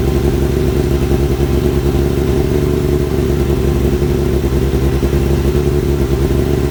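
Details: Kawasaki ZX-7R four-cylinder after carb cleaning for idle problem, warming up: steady smooth drone, even firing, no misses or stumbles; normal engine running, more responsive; owner suspects old fuel/debris in idle circuit.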